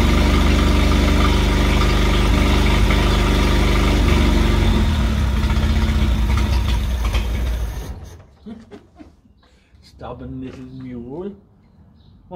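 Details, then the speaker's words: 1968 Bedford CA ice cream van, first start attempt after years, run only briefly with no coolant: old petrol engine ticks over at an even pulse of about four beats a second for eight seconds before shutting off; running cleanly. "done pretty well old girl just to run at all really amazing than it really was took over turned up a little bit but anyway it's running"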